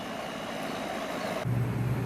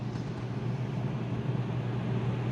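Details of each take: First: Goodman condenser, outdoor unit, after repair and the disconnect reinstalled: fan hiss, then the compressor kicks in with a firm steady low hum; normal compressor running, house soon starts cooling. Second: Outdoor condenser, air handler set to cool at 68, blowing warm air: only the steady low fan hum and airflow with no compressor drone underneath; compressor not running.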